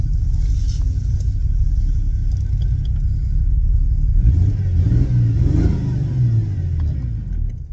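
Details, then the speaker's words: Jeep on test drive: deep rumble surges and sags unevenly, then dies; restarts by popping the clutch. Owner suspects it just needs running and may be low on fuel. Erratic running and stalling. "Oh, I said that and it died. Pop the clutch and it comes right back though. This thing cannot make up his mind how it wants to run."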